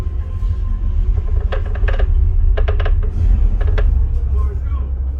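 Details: Aperion Bravus II 12D 650W subwoofer, second unit, playing movie bass: deep bass with short buzzy rattling bursts on loud low notes; cause not confirmed.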